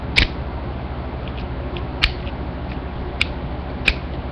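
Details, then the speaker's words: Original three-way guitar toggle switch from the Supreme, held by the microphone: four crisp clicks at uneven intervals with a positive detent; the switch still works well and is being replaced only because one solder leg is damaged. "And it's still a very good part in that you can really hear this thing work."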